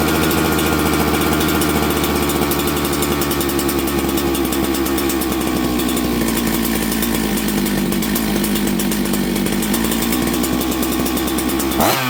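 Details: Auction-bought 266XP two-stroke chainsaw, just fitted with a new ignition after sitting, warmed up: loud, steady, crisp scream held evenly before cutting off. Runs well and tunes easily despite the aged carburettor.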